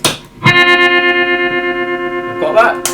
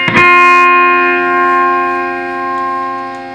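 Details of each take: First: Fender Twin Reverb after a lead was replaced (old lead had a break): sustained guitar chord with a steady even volume pulse about six per second; the amp's vibrato now works properly. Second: Fender Twin Reverb amp, vibrato pressed on footswitch: guitar chord rings steady with no pulsing at any speed or intensity setting; vibrato dead, footswitch or its lead suspected, tatty connections also seen.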